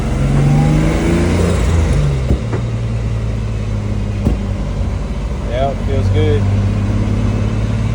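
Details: Turbo BMW E46 after a new turbo fitted and exhaust leaks fixed: engine pulls cleanly through the revs with a smooth rising note and brief turbo whoosh, no exhaust puffing or ticking; healthy acceleration.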